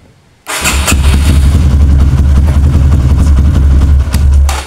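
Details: Kawasaki KLX with a new battery that drops overnight and won't crank in the morning, battery fully charged, repeated starter test: starter spins briskly, engine fires straight away into a steady low thump; 13 starts, battery judged normal for now.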